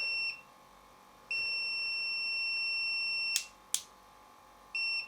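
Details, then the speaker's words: Samick KS10 guitar amplifier power rocker switch on continuity test: meter beep drops out and returns as the center lead is moved; intermittent contact, loose internal pin or bent rocker contact suspected. "yeah see it's not always going to make continuity when you turn it on so either this pin internally is loose from its uh mounting position or The Rocker um pin that comes into contact with the two terminals here is bent or something like that"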